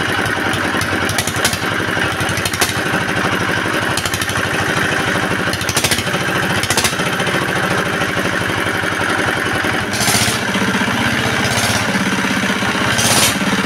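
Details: R180 single-cylinder diesel after crankshaft replacement, oil dipper cut, and oil pressure indicator now normal: a steady, even thump with no knock or clatter; normal running.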